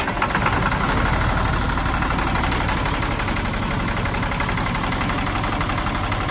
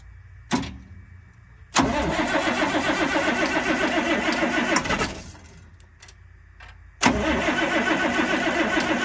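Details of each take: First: 1997 GMC 7500 bucket truck, Caterpillar 3116 diesel, first cold start at 32°F, no starting fluid, no coolant: rough, uneven idle with light irregular knock about four per second over clatter; owner attributes it to cold, cold diesel knock. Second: 1997 GMC 7500 Altec bucket truck, Caterpillar 3116 diesel, first start after rollover repairs at 32°F with newer battery, no starting fluid: click, quick crank catches into even diesel run, twice; normal cranking and start.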